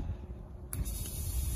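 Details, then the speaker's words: Truck, fuel pump jumpered directly with jumper wires bypassing the fuel pump control module: pump kicks in with a steady high whir and hiss, so the pump works; the truck then starts, and the fuel pump control module is found faulty. "and i can hear the fuel pump turn on when i install it so i'm going to go ahead put this in have the fuel pump run"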